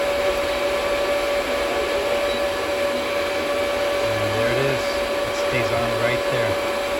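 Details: DB Werx amplifier fan on DROK adjustable buck regulator, voltage turned up above the 8.21 V cutoff: steady even whir, constant tone, no rattle or wobble; fan running normally.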